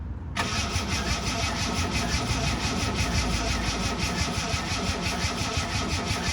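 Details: Ford Capri Mk3 3.0 Ghia manual, barn find unstarted about 20 years, fresh oil and new coil pack: starter turns engine in a laboured, uneven rhythm about three beats a second, no catch; slow cranking, owner suspects low battery voltage.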